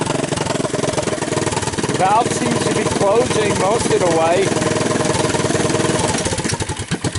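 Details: 1983 Honda ATC200 single after a budget top-end rebuild: torn-up valve seat, used cylinder and rings, old gaskets; started half-choked because the carburetor was suspected of flooding. Putters unevenly at about four beats a second, catching and holding on its own; it starts and runs.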